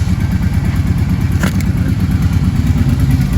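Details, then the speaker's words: Kawasaki Brute Force ATV just after the engine was reinstalled, at idle: loose metallic rattle about two beats a second on a lumpy low idle; owner suspects the exhaust, unconfirmed. The earlier heavy knock is gone. "Got a little bit of a rattle from something, but we'll figure that out. Probably the exhaust."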